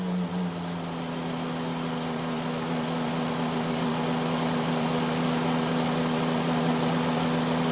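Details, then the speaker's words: 2013 Chrysler Town and Country engine bay idling with a steady low whine; unplugging the alternator barely changes it, so the alternator is ruled out and the power steering pump is suspected, starved by a clogged reservoir screen. "it doesn't seem to change that much so I'm guessing it's this Reservoir over here"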